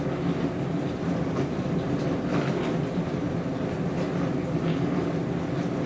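A loud, continuous low rumble with rough clattering that never lets up while it runs; this dishwasher is making an abnormal noise.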